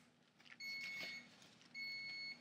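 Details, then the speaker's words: Thermal tattoo stencil transfer copier printer: two long, high, even beeps about a second apart, signalling an error after the stencil paper fed slightly off course. "just read an error as you hear it beeping."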